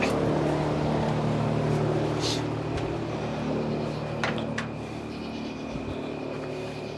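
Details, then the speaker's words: Jeep CJ5 (AMC 20 axle) started up before the axle seal work. Strong, even engine note that holds steady then eases down smoothly, no knocks or misses; cranks and runs nicely. "oh listen to that oh my God it cranks so nice"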